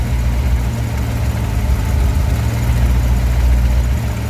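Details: 1955 DeSoto, supercharged 392 HEMI V8 idling after tuning, timing about 6–8 degrees: deep even idle with faint slow rise and fall, mild surge; vacuum 14–15 fluctuating from blower, fuel pressure possibly low, may need raising.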